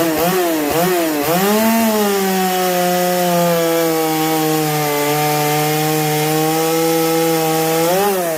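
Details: Chainsaw called the 330, stock except for an opened-up muffler (muffler mod), cutting rotten pine at full throttle: a high, steady scream that dips slightly as it bogs in the wood and recovers cleanly. Normal cutting; the saw runs well.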